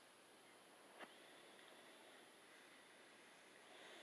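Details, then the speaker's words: Philips Respironics DreamStation Auto CPAP switched on with mask fitted: only a soft, steady hiss of air with a faint high whistle, no pulsing or rattle; blower running quietly and normally. "And you turn it on, and listen how quiet it"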